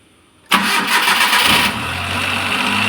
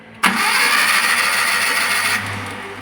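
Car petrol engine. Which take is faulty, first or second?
second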